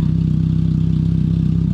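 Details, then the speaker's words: 2002 Pontiac Sunfire 2.2L overhead-valve engine with a cheap Amazon aftermarket muffler, before swapping to a MagnaFlow: loud deep drone at idle with a coarse raspy pulse in every beat. Loud raspy aftermarket muffler. "pretty much expect you're gonna hear this car before you see it like about three minutes in advance if you have this kind of muffler"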